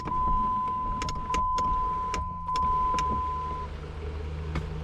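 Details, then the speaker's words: 2004 Dodge Neon SRT4 sunroof after motor assembly replacement: steady clean even motor whir as the roof travels, quick, no clicking or banging. Normal sunroof operation. "nice and quick no clicking no banging working just like it should"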